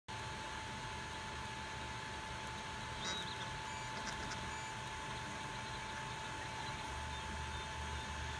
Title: ender 3 partscoolingfan buzzing noise